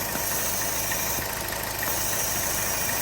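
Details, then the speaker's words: 2011–2016 first-generation Chevy Cruze at idle: steady airy hiss of the PCV valve sucking air, with a rough idle dipping down; failed PCV valve vacuum leak, a known factory defect. "And you can hear it kind of sucking air in. It's definitely not supposed to do that."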